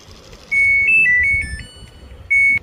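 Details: Samsung top-load washing machine after control board repair for drain pump/motor fault: clean short melody of high beeps then a long beep at power-on, no drain pump noise; pump now runs only when start is pressed.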